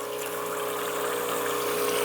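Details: Rancilio Silvia single-boiler espresso machine, startup priming with the steam valve opened further and a nice stream of water flowing: steady buzzing hum with constant rushing water. Vibratory pump operating normally.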